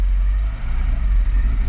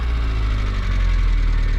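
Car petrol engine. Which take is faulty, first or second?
first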